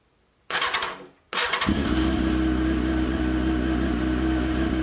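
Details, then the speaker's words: 2001 Honda CBR929RR, unused for a couple of years, after replacing the fuel pump and fuel injectors: fuel pump audible, two short cranks, then it catches cleanly into a steady, smooth idle with no misfires; normal start and idle. "all right well you know it turns off awesome like I showed you guys we got the bike running it's nice and smooth I will let it idle just so it gets used to uh being on"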